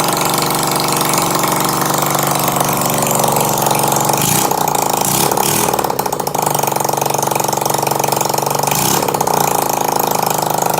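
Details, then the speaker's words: 2012 VIP 50cc scooter running with muffler removed during rear tire replacement: loud, raw, buzzy exhaust crackle at fast uneven idle with sharp rasp. "sounds cool if you're into motorcycles and scooters it's always more fun to the louder they are"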